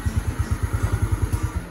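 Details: Yamaha Mio Nouvo after restoration: rough, uneven clatter pulses at idle, about eight a second, that disappear at higher throttle; worn one-way starter clutch, persisting after replacing only the roller, so the full set with gear is being replaced.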